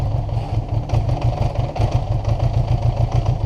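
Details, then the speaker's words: 1980 Honda GL1100 Goldwing during revival, cold start: lumpy uneven idle with low chugging beat and some clatter, running rough without choke; cold-blooded. Started with clutch pulled in; starter solenoid replaced, wasn't the cause. "It's cold-blooded."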